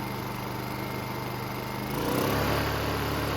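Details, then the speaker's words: Honda EU2000i inverter generator with a rebuilt carburetor and a replacement throttle-to-governor spring fitted. It hums evenly, then steps up cleanly to higher rpm and comes back down smoothly without hunting. Air filter assembly is off and the idle stop is not yet set. "the transition at different speeds as well as running on the higher rpm is a lot smoother out of the spring you see big difference comes down a lot smoother too as well"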